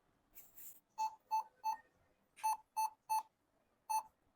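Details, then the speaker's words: Laptop powers on with no display, beep sound only: mid-pitched beeps in two groups of three, then one more; points to a faulty RAM stick, to be removed and its contacts cleaned. "இந்த laptop on பண்ணா டிஸ்பளே வரமாட்டது sound மட்டும்தான் வருது."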